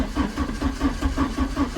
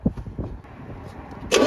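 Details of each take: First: 1987 Porsche 924S, first start attempt after almost 10 years in storage: even pulses as it turns over, almost catching but dying; runs very rough, plugs to be checked, one later found wet. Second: Cranking compression test on a 1987 Porsche 924S stored almost 10 years: steady starter cranking with even, regular compression pulses and a short hiss at the end. Compression reads 200–210 on all cylinders, healthy and balanced.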